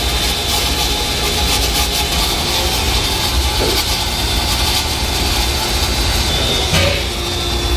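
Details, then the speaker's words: Electric water pump motor running steadily and quietly, even hum with no knocks or grinding, after resetting the tripped magnetic contactor overload; quieter than the other pump motor, owner suspects it overran and overheated, normal running. "So, kasi maganda naman yung run ng motor. So, mas tahimik na yung takbo niya kumpara dun sa isang pump motor."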